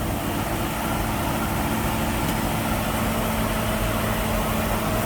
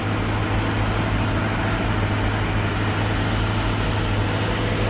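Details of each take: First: 1965 Mustang small-block Ford V8, 650 CFM Street Avenger carb, idling around 1200 rpm: steady, even idle with regular lope, no misses or knocks; engine happy with distributor timing, possibly about 30 degrees. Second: 1965 Mustang V8 on 650 CFM Street Avenger carb, cold and still warming up after a year unused: loud, steady raised idle with no dips; electronic choke suspected of not working correctly, not confirmed.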